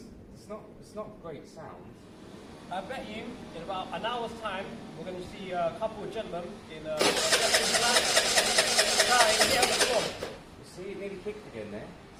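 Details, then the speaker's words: Scooter cranking on the starter, ragged uneven catch that flares briefly then dies, won't run cleanly; owner suspects stator wired wrong, odd choke, or a wrong or crushed spark plug, not confirmed. "the other thing is this could be wired up wrong the uh the stator could be wired up wrong that is we have to keep that in [Music] mind the choke is a bit the choke's a bit funny"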